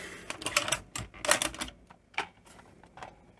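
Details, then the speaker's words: Philips N1700 VCR Long Play machine, dirty inside, winding a sticky cassette with locking spool: irregular bursts of sharp clicking and clatter, stopping and starting; transport struggling, unclear if machine or tape, another cassette ran happier. "so the tape's there is it the machine is it the tape we've obviously got some struggling going on there it's not happy is it"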